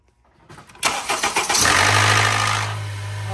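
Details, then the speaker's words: Cold start of a Honda VTEC engine (2.4 or V6). It cranks and catches with a harsh metallic rattle for about a second, then settles to idle. Blamed not on low oil pressure but on the actuator. "Okay, you heard that noise. Forget about that little squeak, but you heard that rattle. Usually, that's a low pressure problem, low oil pressure problem. But in this case, it's kind of, sort of something like that, but it's not low pressure. It's an actuator"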